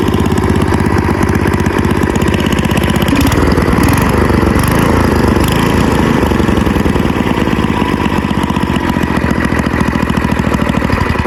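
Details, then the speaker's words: Old AMF snowblower small engine, sitting over 20 years, restarted with choke and without starting fluid: steady, even putter with no misses or knocks, settling into a smooth idle. Runs healthy. "She's running pretty good. All right. Well, it runs good."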